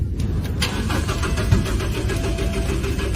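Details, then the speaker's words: Car that won't start, owner had called a tow truck; starter churns the engine at a steady cranking pace but it never catches or speeds up; crank no start, cause unconfirmed (no electricity or no fuel suspected). "can't start let's try again still can't start do you know the reason"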